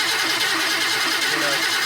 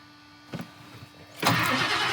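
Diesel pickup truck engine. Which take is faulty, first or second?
first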